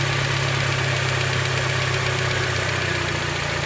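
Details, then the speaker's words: Honda Element at warm idle: a light, fast valve-type ticking from the top of the engine. It is not the injectors and doesn't grow with revs, and it is barely audible in the cabin. The owner suspects a maladjusted valve. "И звук исходит именно вот где-то вот отсюда. То есть я полазил там. Этого звука вообще не слышно в машине почти. Не прислушиваюсь, но он сверху."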